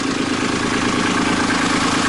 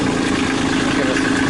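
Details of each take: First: Kubota B2650 diesel tractor, 100-hour service safety check, low rpm, PTO engaged with no implement, operator off the seat: steady idle runs about five seconds before stumbling and dying; seat-switch cutout reacts late. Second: Kubota B2650 diesel tractor at its 100-hour service, idling at low RPM just after starting, before a PTO interlock test: steady, even diesel clatter with no misses or hunting; normal idle.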